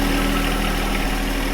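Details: John Deere 1025R compact tractor diesel after replacing the main fuel filter under the floorboard to cure surging and stalling: steady even clatter at idle, no surging, hunting or stumbling; idling normally.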